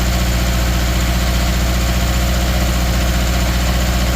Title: 2013 subaru outback 2.5 misfire cylinder 3